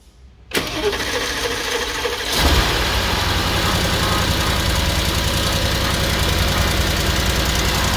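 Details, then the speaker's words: S63 engine at about 80,000 km (79,687) during a checkup, cold start: long cranking before it catches, then a loud busy idle with a grinding sound inside and a suspected miss. "something is wrong here omar first of all you have a long cranking"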